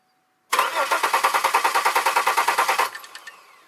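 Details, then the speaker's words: 2002 Chevy Malibu after fuel leak fixed: steady starter churning at about eight or nine beats a second, never catches; cranks but won't fire, cam sensor has power. "Now I got no fuel leak, but still can't get it to fire. I can't get it to start."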